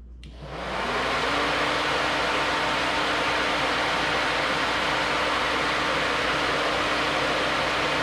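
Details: New Flex-a-lite Flex-Wave 16-inch electric puller radiator fan on a stock 4.3L V6, manually switched on from inside; louder than the old fan. A strong, steady rush of air with a faint constant hum spins up and holds even. Normal operation.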